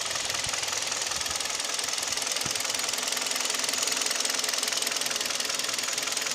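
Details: Kia with G4KD Theta II engine, at idle: light, fairly regular ticking knock two to three times a second with vibration; owner reports piston knock at idle and at 1500 rpm, exact cause unconfirmed.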